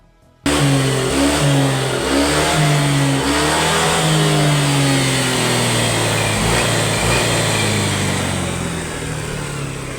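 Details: Honda Click 125 scooter: engine revs unevenly, pitch wavering and sagging instead of climbing, hesitation and bogging on acceleration; faulty throttle body sensor, to be replaced.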